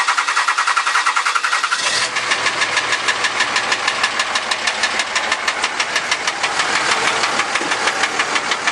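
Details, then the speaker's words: 2003 Dodge Cummins 5.9 diesel at idle: loud sharp knock about two per second, very loud; flex plate and transmission ruled out, fuel injector or rocker suspected, shop to test compression. "all right okay 2003 Dodge 5.9 comings making a loud knocking noise I'm going to take it in tomorrow so I'm going to post it let you know what's wrong here it"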